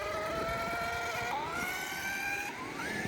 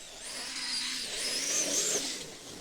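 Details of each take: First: A Traxxas X-Maxx eBay belt drive retested after tightening the belt gives a smooth whine climbing in pitch under full throttle, with the earlier clicking gone. It sounds right, though tension may be slightly high. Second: On the second test of a Traxxas X-Maxx with an eBay belt/pulley drive, a high buzzing motor whine rises and falls with throttle and carries a rough rattle. The owner suspects the belt slipping from being slack, doubting the set screws have loosened.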